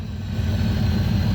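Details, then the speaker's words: V8 Maverick with Holley carb after revival, alternator back up, a little throttle held: short stretch of low, steady idle with even beat, nothing rattling or missing; normal idle, much cleaner. "there we go alternator's back up and going and she is idling got a little bit of foot feed here but exponentially cleaner"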